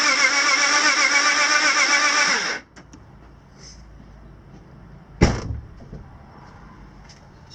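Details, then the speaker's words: BMW M54 engine (E46/E39), sudden low compression, coil pack refitted: even, unusually quick whirring crank with no compression beats, then stops dead; near-zero compression on all cylinders. No start. "And you can see if we've still got our problem with zero compression. Or close enough to zero compression."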